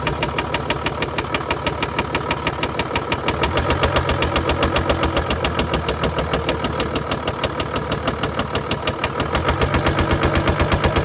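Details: 2013 Mercedes-Benz E350 4Matic, 2987cc 265PS diesel (engine code NZAAB501), 224,763 km, at idle. A sharp, regular knock about twice a second over a rattly idle, steady throughout. Attributed to bearing damage and a defective injector.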